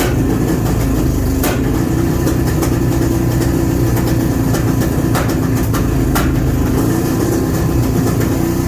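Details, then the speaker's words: Honda Shadow V-twin at idle on its first start since 2019, after sitting with gummed carbs and stale fuel, running on fuel poured from a funnel: deep steady rumble with an even loping beat and no misses or stumbles; idling cleanly. "All right, I got some heat in it, so it's starting, it's running, it's idling, which is shocking."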